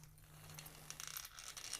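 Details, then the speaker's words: RC car rolled by hand: light, quick ticking of the pinion-to-spur mesh with no binding or harsh clatter; mesh is correctly set. "they call it the tick you want to have that tick just like Roger told you man in his video"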